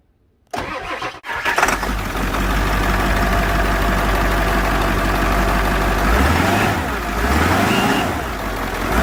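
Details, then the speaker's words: Ford 7.3 Powerstroke turbo diesel, about 200,000 more miles than a comparison engine, after fresh oil/additive flush of the injector oil reservoir: cranks, catches and settles into an even idle, no clatter, light turbo whistle; normal idle. "it's not clattering when you're accelerating uh it's you can tell how tight the engine sounds now"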